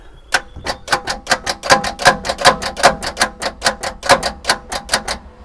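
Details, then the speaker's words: Long-abandoned Bedford CF2 diesel van: rapid, uneven clicking, two or three a second, with no cranking as the starter engages but the engine won't turn. A seized engine is suspected, not confirmed. "you got the feeling that engine might be seized yeah the stter motor is fine and then the engine is stuck"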